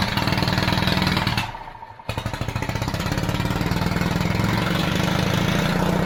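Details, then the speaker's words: Pony motor on a 70-year-old 1950s barn-find D6 dozer catches after a short stall and tapping, then settles into a quick, even putter, running cleanly; normal running. "Bro, that was awesome. Well, I think she's gonna go. Yeah, she's gonna go."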